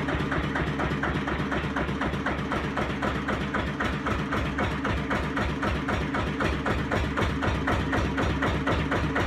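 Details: 1936 Lister CS 5/1 single-cylinder diesel rated 600 rpm, engine number 15699, starting and briefly running after rebuild: a slow, even thump of about four beats a second with no knocks or misses. It runs healthy.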